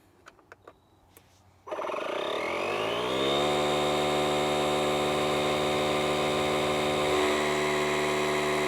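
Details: DeWalt 20V MAX DCC020IB cordless tire inflator filling a camper tire, set to 48 psi: the motor spins up quickly to a steady, even whirr with a regular pump beat about four per second. Running normally.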